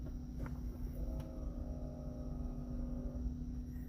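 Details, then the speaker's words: 2014 Toyota Aqua (Prius C) hybrid, parked, after brake booster repair for ABS and skid control lights and an under-hood noise: low steady electric hum about three seconds as the booster pump refills the accumulator, sensor voltage recovering, normal. "So you see that it went down, it used some voltage, and then it comes back up. That is the sensor on the accumulator that's reading this voltage."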